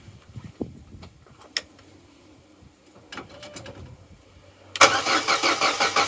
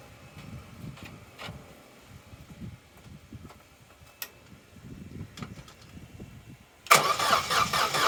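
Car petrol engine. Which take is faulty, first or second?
second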